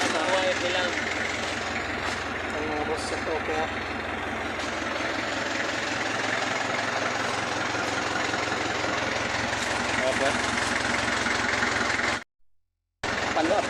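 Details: Kia Bongo diesel, after a no-crank fault: starter motor cleaned and refitted, and the starter solenoid wired direct because the battery relay wasn't feeding it. It now starts and holds a steady, even idle rumble with no knocks or misses. Healthy running.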